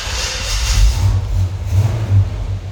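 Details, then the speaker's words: 1978 GMC dual-tank truck after full tune-up and bad gas replaced with fresh in both tanks, Dynamax mufflers: deep, even low rumble, smooth idle, no knocks, ticks or misfires; engine healthy. "this truck just runs so sweetly. Listen to that. No bad noises in the engine, full tune-up on it. It just idles beautiful, plenty of power."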